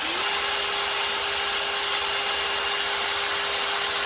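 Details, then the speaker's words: FTX/RGT Outback Fury RC crawler after all gearbox bearings changed: even steady high electric whine under light hiss, no clicking, knocking or grinding; driveline now nice and quiet. "it's all nice and quiet now all the bearings are changed"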